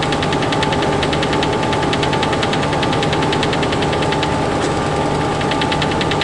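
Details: Freightliner truck diesel running: rapid metallic chatter, about six or seven hits a second; cab rattle that seems low, near the cabinet area rather than up above, cause unidentified.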